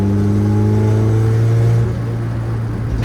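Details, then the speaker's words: Honda Civic, built engine with Precision 5858 turbo, Skunk2 Pro 1 cams, driving at about 5 psi boost below VTEC: steady raised rev with clean tone, then a short hiss on lift-off; healthy turbo spool. "Ah, the turbo noise, dude. Ah, God, I missed it."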